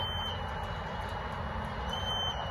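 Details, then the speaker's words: High beep repeating about every two seconds over quiet hum, loudest upstairs near the apartment window, sounding since 4 a.m. with no visible source; fire alarms disabled, no car alarms, unidentified electronic alarm. "Why is it loudest up here? And there's absolutely nothing to make this noise. This is really bizarre. And I need some sleep, but this noise is not stopping."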